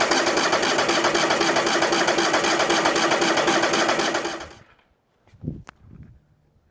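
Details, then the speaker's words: New sawmill engine cranking: fast, even starter whirring for about four seconds that never catches; no start because the fuel tank valve was left off, and the fuel filter was not filling. "This little valve down here in the fuel tank was not on. That'll do it. I bet you it pumps fuel now."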